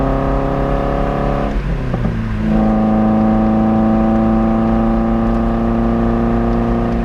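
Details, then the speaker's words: Toyota MR2 Spyder after replacing muffler with broken internal baffle with a Top Speed resonator: steady engine tone rising smoothly on pulling away, little drone, no exhaust rattle; normal exhaust. "nice I like it it's actually not too much Drone either yeah the highway speeds I really do think this is quite lighter than the old one"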